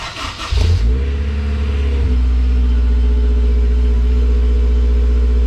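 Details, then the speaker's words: Honda S2000 first cold start after clutch replacement (Competition stage 4 six-puck clutch, resurfaced flywheel, new pilot and release bearings): cranks, catches within a second, settles into smooth steady fast idle with no knocks or slipping noises; healthy start. "now it's time to start it and hope that there's nothing crazy that happens that just starts up it sounds good it runs it goes into gear the wheels spin"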